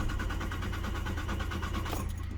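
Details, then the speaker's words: Volvo diesel after service, on jump-pack power since battery was going flat: steady rapid starter cranking with even compression pulses, never catches; air-locked fuel system, high-pressure pump fed through fuel filter, no in-tank pump. "now we're going to give this thing a crank again see what the crack is I am very [ __ ] scared about this because these Volvos are so sensitive when it comes to jumps they don't like it"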